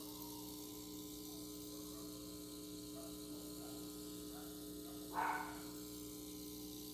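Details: Rega P1 turntable: quiet, steady electrical buzz at a fixed pitch that never changes over the clip; constant turntable buzz.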